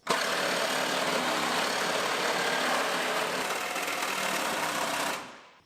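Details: 1964 Chevrolet Chevelle El Camino, a stalled abandoned project, running on dual exhaust: loud raspy exhaust with a steady quick beat around four pulses a second, running evenly then cut off; normal running.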